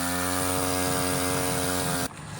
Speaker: Bike is a Baja 49cc mini bike. It does crank and run, it stays wide open on the throttle, and won't idle.